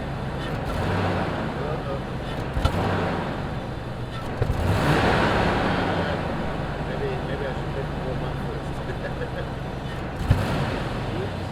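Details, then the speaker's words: Land Rover Discovery 1 V8 junkyard truck, unrun for a year, started after an immobiliser and alarm bypass: it runs rough with sharp exhaust pops every few seconds. It is backfiring, cause not found. "There's still a backfire on it. We'll bring it round to the back to the exhaust system. Maybe you'll hear it a little bit better."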